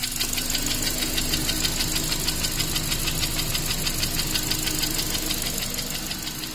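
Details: Honda Accord 7th gen, K20A engine, after oil starvation: steady sharp metallic knocking about three per second over the running engine, from cylinder two in the upper block; engine knock.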